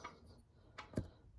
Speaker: That tapping noise, some people may argue, is the valve stem hitting the cavity in which the valve stem is seated in. But in actuality, it's your TPMS sensor hitting the inside of the wheel.